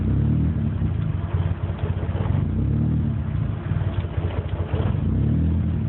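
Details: Nissan SR20 red top, water temperature 61 degrees, readings cycling, engine close to dying: lumpy, uneven idle with low rumble surging and dipping every second or so; rough idle, cause unclear.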